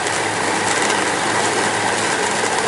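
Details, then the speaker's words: Pond-powered water turbine unloaded (load unplugged, intake just fixed): loud steady rushing hiss with occasional popcorn-like pops; air being drawn in somewhere, causing cavitation, sealing to be attempted. "here it sounds like it's making popcorn from time to time that's pulling in air from somewhere cavitation going on so we're going to see what we can do to seal things off"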